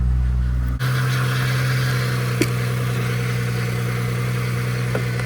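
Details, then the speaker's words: Mazda daily driver just started on a jump after repairs: brief cranking, then a steady low drone with faint irregular clatter and occasional ticks from somewhere in the engine bay; unidentified running noise, source unknown. "I don't know what that sound is. It's so annoying."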